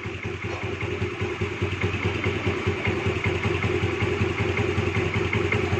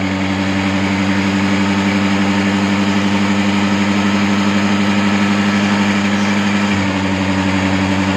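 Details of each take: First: Honda Dio 4G scooter after carburetor idle and air screw adjustment: steady, even low putter at slow idle with no misses or hunting; normal, clean idle. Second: Honda Dio 4G scooter during carburetor air screw adjustment: a steady idle with a low even hum, then revs sag near the end because the air screw was opened too far anticlockwise, leaning the mixture. It will be tightened slightly. Engine speed drop.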